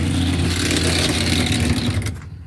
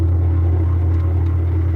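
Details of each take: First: Classic Kenmore top-load washer on spin: loud rough whirring with rattle as motor spins freely for about two seconds, transmission not turning; broken motor-to-transmission coupler, fix by replacing coupler after removing water pump. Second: Classic Kenmore washer that would not wash or spin because of a broken motor-to-transmission coupler, heard after the repair with the agitator reinstalled. A steady, even low hum with no knocking or grinding. Normal spin.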